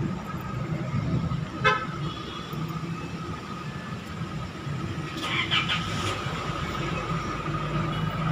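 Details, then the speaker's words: Isuzu MU-X diesel after replacing fan belt and tensioner bearing: idle now steady and even with no belt chirp or squeal, sound back to normal after repair; normal idle. "Ya sudah enggak bunyi Cit Cit Cuit lagi sudah halus Ya sudah reda suaranya sudah kembali normal"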